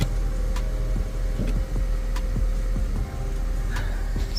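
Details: 2005 Honda Civic after new brake booster installation, test start: engine settles into an even low idle with only a few light clicks, no knocks, squeals or grinding; normal healthy idle.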